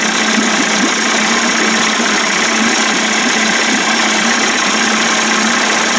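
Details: Johnson 25 hp outboard converted toward 30–35 hp with larger carb and 72D jet, test run: quiet, even two-stroke idle with a steady buzzing note and no misses or knocks; pulls fuel quickly and runs cleanly.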